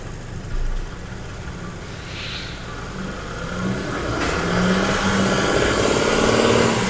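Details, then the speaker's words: Genesis GV80 with a whining-noise complaint, heard on a road test: under road noise a faint steady tone rises in pitch with vehicle speed; rear differential pinion whine, later addressed by a bulletin. "so as you heard that um noise when we're trying to run the vehicle and in the horse we heard that noise is coming from the rear differential"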